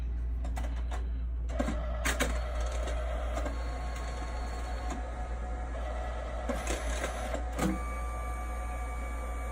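Soft mechanical clicks and short motor whirs come and go irregularly over a low hum; a printer working through its job normally.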